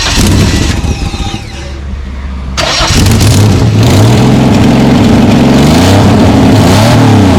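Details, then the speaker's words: Holden VL Commodore at first start after ignition/cam timing adjustment and fitting painted extractors, cat and cat-back exhaust: starter whirrs, engine catches into a loud booming idle; still a little too loud, sooty exhaust. "start exhaust exhaust on hopefully it's not as loud but not too quiet it's still a little bit loud"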